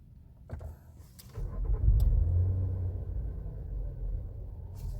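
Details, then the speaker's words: 2024 Nissan Pathfinder R53 that cranked but would not start: after the fuel pump control module was found at fault and the parts refitted, the engine is restarted and catches promptly into a steady, even low idle with no misses or knocks, a healthy start. "So okay na siya. So yun lang naging problema natin, yung ating fuel pump control module."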